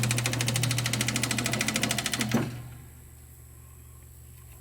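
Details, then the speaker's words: Seeburg SMC jukebox, unrestored, CPU not yet rebuilt; a low steady hum with quick regular chatter for two seconds, then shutoff, the motor running fine. "but we'll just turn it on and see how the motor runs. You can hear humming."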